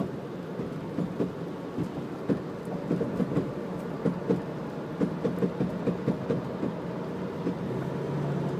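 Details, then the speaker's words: 2000 Jeep Grand Cherokee Laredo coasting off throttle at about 45 mph: sharp irregular pops, roughly two a second, over road and engine drone; happens between 35 and 50–60 mph, stops when giving gas, cause unknown. "okay this is the sound that my Jeep makes uh it's a 2000 Jeep Grand Cherokee Laredo going about 45 M an hour when I take off the gas there's a popping"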